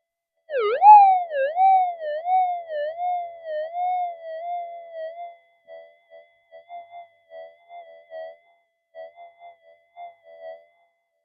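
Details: Modified pulse induction gold detector over a 0.05 gold target, detected out to about 10 cm: clear warbling tone swells loud, then drops to short soft chirps; strong target response.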